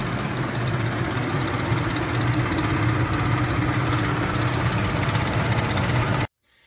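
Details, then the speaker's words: Ford 5.4L four-valve DOHC Triton V8 at warm idle: a constant, steady metallic chain rattle with fast ticking that never lets up. Mechanic suspects broken timing chain guides; the cams later looked in good shape. "and here's the noise once the engine's warmed up it's a constant chain type noise so I'm pretty sure we have some broken guides in here causing all these noises"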